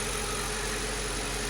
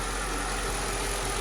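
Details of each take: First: 2006 Mercedes CLS500 (C219) V8 idling rough and slightly uneven; scanner still shows cylinders 6 and 8 misfiring after tightening loose cylinder 1 connector; coil packs then swapped to cylinders 5 and 7 to test. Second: 2006 Mercedes CLS500 (C219) V8 after replacing two faulty coil packs that caused misfires: smooth, even idle with steady low hum, no stumbles; smoke from leaking valve cover gasket oil burning on exhaust manifolds.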